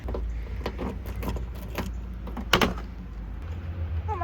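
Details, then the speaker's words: Mazda RX7 FC, hatch closing: light rattles then one sharp hard knock as the rear spoiler strikes the roof wing, which sits closer on one side. "So, that noise you heard is the rear spoiler hitting the roof."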